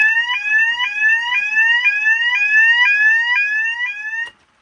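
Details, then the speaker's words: Custom fire alarm demo board, meant as an Edwards of Canada custom 6500, in drill/test mode: a sharp rising sweep tone repeating about twice a second for four seconds, then a clean cutoff; the drill signal works normally. "It's really loud. I know the zones aren't hooked up to anything yet, but it all works. You can also go ahead and do drill or test."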